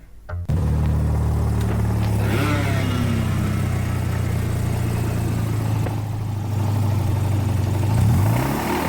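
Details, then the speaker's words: Mazda rotary engine (RX-8 or RX-7 FD) with a heat-damaged, melted needle bearing: rough, uneven rattle under the rotary drone that grows harsher as revs climb, the sound of a failed rotor bearing. "so if your car sounds like that you're going to have exactly the same problem"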